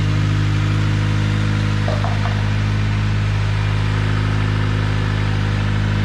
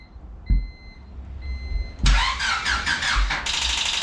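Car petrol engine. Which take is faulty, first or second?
second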